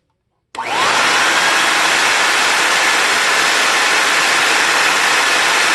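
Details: Compact TriStar C8 two-speed vacuum, Ametek motor after bearing replacement and greasing: spins up fast to a steady airy whoosh, no scraping, rattle or speed wobble; draws 7.8 A on low versus 9.3 A earlier; runs smoothly, healthy.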